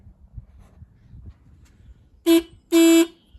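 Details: Kawasaki KMX 125 two-stroke motorbike after battery replacement: two clear horn toots, short then longer, over quiet background; horn strong, confirming battery power restored.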